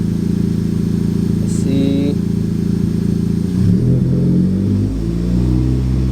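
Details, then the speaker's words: Honda Civic Type R turbo, after a boost leak fix: steady idle, then a quick clean blip sweeps up and settles back without hesitation; throttle response and intake sound healthier, owner believes it is fixed. "so i just sent kathy some of the data and it appears to me the car sounds way more healthier on just the throttle response and you know the intake sounds so i think we got it fixed"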